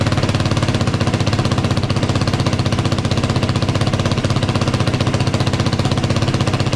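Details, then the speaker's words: Yamaha YFZ450 single after top-end rebuild, first start, revved: fast, even firing beat, no ticking or knock; smoking from burning off spilled oil, return lines not on correctly; sounds good, normal running. "That's the first start. Sounds good. Doesn't sound like it's uh knocking or anything. Sounds pretty good."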